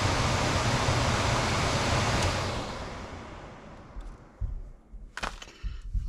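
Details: Home HVAC blower after blower relay replacement (blower had run constantly, causing high humidity and bills): steady rushing airflow with no buzz that fades smoothly as the call drops; blower runs and stops cleanly.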